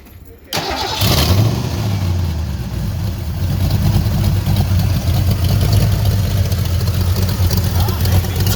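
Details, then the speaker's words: Junkyard Ford Mustang Fox body 5.0 V8, after spark plugs were installed and a broken-plug extraction, catches after a brief crank and hangs at a fast, steady idle that won't drop; mass airflow sensor suspected (possibly too much air), unconfirmed. "I don't seem to like to idle down very nice for some reason but mass airflow might have had something to do with that"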